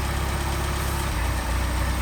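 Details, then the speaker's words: Mercedes 190SL Solex carburetors that sat long, warm idle: steady low idle that dips and changes note when sprayed at the throttle shaft; vacuum leak through worn throttle shafts on both carbs, O-rings considered. "Leaking as well. All right. Same about the same amount of leaks through the shaft."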